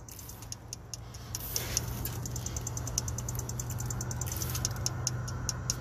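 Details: 2006 Dodge Ram 3500 5.9L with crank/no start and no ECM communication: sharp, slightly uneven ticking over a low hum that speeds up when a harness connector is moved, an intermittent electrical click suggesting a wiring connection fault, unconfirmed.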